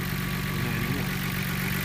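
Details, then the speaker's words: Nissan R32 GTR after vacuum leak repair (gaskets replaced, AAC valve adjusted per service manual), idling about 950 rpm: steady, even idle with smooth low hum, no hunting, stumbling or hiss; quieter overall, normal idle. "well the lowest I got it's about the idle where needs to be about 950 that's good which is great car turns quieter overall"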